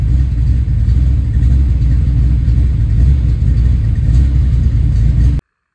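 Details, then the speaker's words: Ford Foxbody Mustang, 302 V8 with B303 cam, 3.73 gears, T5, first start after sitting since about 2021 (off road since 2007): deep even lopey V8 idle with no knocks or ticks before shutdown; still runs and sounds pretty good. "But sounds pretty good. good still."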